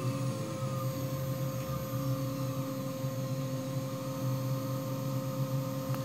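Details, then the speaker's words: New 3HP ATC spindle (Grizzly G0704 mill, Hitachi WJ200 VFD, V/f mode) running in a very cold shop. Steady high whine with a faint rough bearing edge from new bearings not yet run in; normal, expected to quiet with hours and warmth. "I'm hearing a little bit in the bearings and my understanding is that that's normal because they have not run in yet and over time as you get some hours on the spindle those are quiet down"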